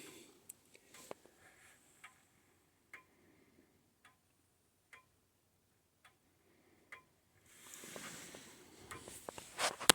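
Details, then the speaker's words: Old-style grandfather clock being set up, before beat adjustment: ticks about once a second with alternating long and short gaps, an uneven tick-tock showing the clock is out of beat. "all the tick and talk should have the same amount of time between them so if it's tick tock tick tock tick tock then that's out of beat and it sounds like mine might be a little bit out of beat"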